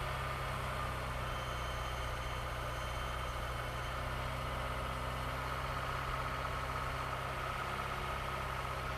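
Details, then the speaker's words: Vauxhall/Opel Corsa C after an alternator and clutch master cylinder replacement: a low, steady idle with an even hum and no whine left; runs smoothly, though some tapping remains and the car needs a service. "but voila no more whining noises so i'm actually quite happy to hear that when it settled down it started quite nicely"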